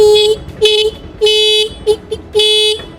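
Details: Honda Activa scooter horn being repaired: short toots with uneven gaps and a buzzy, slightly off mid-pitch tone while its star adjusting screw is being set; off-tone horn, adjustment suspected as the fix, not confirmed.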